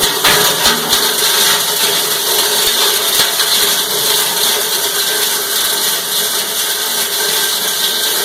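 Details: Cumberland 7.5 hp granulator, 12x12 cutting chamber, grinding PVC (Schedule 40 pipe, P-trap, fittings): loud continuous chopping and rattling of plastic over a steady motor drone; normal operation.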